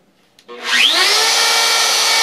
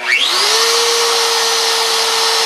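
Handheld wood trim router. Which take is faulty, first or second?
first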